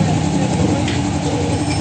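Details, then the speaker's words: Honda XR150 that would not start (strong battery, starter only clicked), after the starter relay was replaced: it starts, and a low, steady engine rumble holds even with no misses or hesitation; normal running, repair confirmed. "Ayan, okay na mga tol. Naayos na natin. Nag-start na itong motor ng ating kaibigan. Ibig sabihin naayos na natin."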